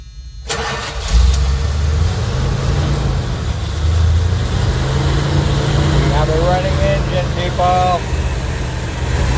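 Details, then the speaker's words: Van project engine running for the first time after work on it: a deep, steady rumble settling into an even idle after cranking, with no knocks or misses. It runs fine. "Did you hear that? It lives. Yeah, we're closer."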